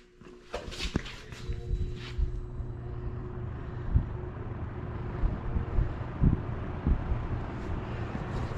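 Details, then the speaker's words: Early-1970s all-metal 3-speed Kmart box fan with thermostat, after cleaning and oiling the motor, running on low: soft steady low hum, only light handling knocks, no rattle or scraping; ultra quiet, normal. "I think it's so nice and quiet. That's what I like about these old Kmart fans. They're just ultra quiet."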